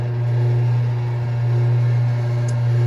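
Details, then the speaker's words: Gas clothes dryer running, used about twice a week, vent never cleaned in three years: loud, deep steady hum swelling and easing roughly once a second, unusually loud for this dryer, cause unknown. "that's the noise um actually i've been using this almost uh twice a week doing dryer my clothes but uh drying my clothes but i never heard like this kind of loud and it's it's very annoying"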